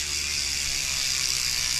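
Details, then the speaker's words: Sondors Rockstar e-bike, new rear wheel with 223 mm rotor, on stand after brake adjustment: even whir with light hub ticking, no scrape; wheel spins freely, brake no longer rubbing. "Finishing touch. I adjusted the brake. It's not rubbing anymore."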